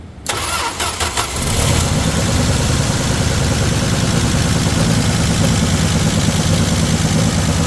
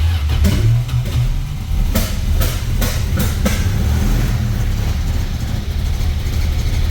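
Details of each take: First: 1978 Dodge Aspen with 225 slant six, sat eight years, after fixing misfire to run on all six cylinders; brief crank then catches and settles into smooth, even idle; normal start. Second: 1978 Dodge Aspen, sat eight years, fresh oil with Marvel Mystery Oil, building oil pressure: low loping idle with uneven beat and periodic skips, a couple of cylinders dropping out; misfire at idle.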